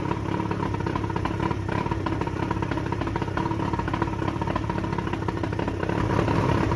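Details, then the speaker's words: Johnson short shaft 40 hp outboard, about 1987, first start after repairs on water hose with a pinch of throttle and prime: fires straight up and settles into busy, rattly two-stroke buzz holding steady; healthy. "I'll give it just a pinch throttle. A little bit of prime, and let's see what happens. Well, that fired right up."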